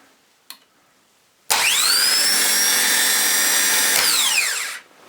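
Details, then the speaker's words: Mercury boat engine starter motor, cleaned, regreased and fitted with a new solenoid after the boat sank, bench-tested off the engine: a sharp click, then a bright steady high whir for three seconds, winding down smoothly, slightly jumpy; starter runs normally. "Well, it's a bit jumpy, isn't it? Well, that sounds alright to me."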